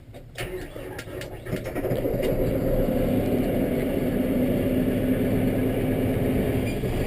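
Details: Kubota M7 diesel tractor, cold start on a mid-20s morning after glow plug warm-up: brief crank, catches, builds to steady even clatter without stumbling; normal diesel cold start.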